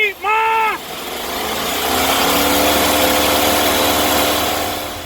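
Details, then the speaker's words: 1999 Chevy Express 2500 WT van, first start after sitting eight years, new ECM fitted: uneven, lumpy idle while warming up, later smoothing out with good temperature and oil pressure. Rough idle after long storage. "oh she trying to start oh she lives but she is not happy and neither would you be if you sat idle or not doing nothing for eight years"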